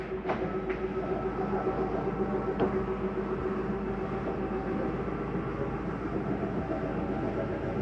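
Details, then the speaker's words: 2022 Jayco Eagle 28 5RSTS, dinette slide-out retracting; steady motor hum with fast even rattling clicks about twice a second as it bottoms out; normal end-of-travel mechanism, not grinding. "I want you to hear that noise on that slide. That is just the slide mechanism telling itself not to go in any further. There's nothing grinding on your slide."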